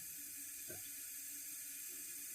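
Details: Toilet fill valve on a house with a water well and no inline water filter: a faint, constant high hiss as water runs over the overflow; sediment or trash in the valve stops it shutting off even with the float fully up.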